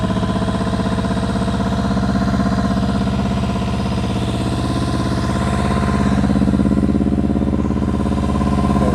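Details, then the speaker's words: 1999 Kawasaki ZRX1100, restart after sitting twelve years, airbox removed, old dust burning off: uneven stumbling idle with a recurring gap; dead misfire on one cylinder, number 4 cylinder cold. "Definitely missing on one cylinder. All right, this number 4 cylinder is cold."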